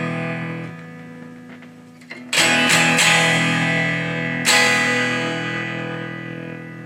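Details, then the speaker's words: Fender Blues Deville tube guitar amp built 1993–96 with 12AX7 preamp tubes, fixed bias; guitar chords harsh, fuzzy and thin with buzzy decay, amp should be much louder, possibly a major problem; distorted weak output, cause still unknown. "That is a really dreadful sound. Not only because it sounds terrible, it could be indicative of a major problem."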